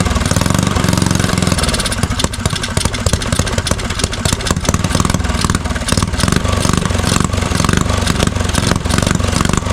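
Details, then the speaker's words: Neglected custom Motovox mini bike with electric start, carburetor cleared of old gas: small single fires and settles into a busy, slightly uneven idle with throttle blips. Running again, fuel problem cleared. "Oh yeah, that's all it was, gang. Try to get her to stay idle."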